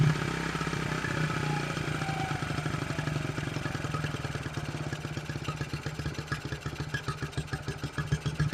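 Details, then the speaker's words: 1974 Honda XR75 with new coil, choked, idle screw nearly all the way out: small single thumps at a fast steady idle that won't come down, slight clatter; high idle unadjustable, cause not found. "Because usually when it's idling high like that and you can't adjust it,"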